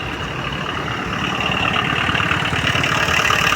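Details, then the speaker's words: Tata Indica Vista TDI diesel idling, heard from outside the car: steady clattering engine rattle, about three pulses a second. Same car has starting trouble, no check-engine light, constant ICD light, dead rpm needle and AC not cooling; ECM supply/ECU fuse suspected. "और... engine में खड़खड़ाहट की आवाज आ रही है, उसे भी देखो।"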